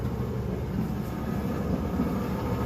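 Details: Kenmore-type dryer test run after the flat-spotted rubber drum support wheels were replaced. The turning drum gives a soft, even low rumble with no rhythmic thumping; the dryer runs normally.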